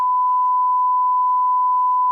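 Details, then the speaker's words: Vashon Ranger light sport aircraft in flight, power back, doing stall demonstrations with flaps at up to 40 degrees, descending slightly; steady clean high stall warning tone sounding normally during the stall. "It's still stalling. It's like stalling."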